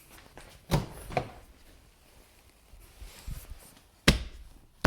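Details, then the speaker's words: 2014 Jeep Grand Cherokee WK2 diesel front door, after Noico deadening, CCF decoupler and Tesa tape, reassembled: knock and shut test gives a deep, dull, well-damped thud with no rattle, though still slightly sharp in one spot. The door shuts solidly. "so if I hit it here I still hear something sharper but it does shut pretty well"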